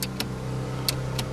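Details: Holden VX Commodore power window switch that works intermittently: the window goes down fine but won't go back up. Sharp switch clicks are heard over a steady idle hum with no window motor running, pointing to a faulty power window switch.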